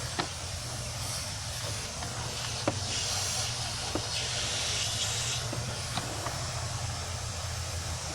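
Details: 2003 Chevy Silverado 2500HD 4x4 6.0 with P0300 misfire, cylinder compression about 135, coil packs swapped, under leak-down test: steady airy hiss with faint clicks as air bleeds past the cylinder; burnt exhaust valve.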